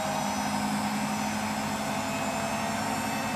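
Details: Hotpoint WMFUG942 washing machine running at speed with loud, steady roaring hum and constant whine; bad motor bearings.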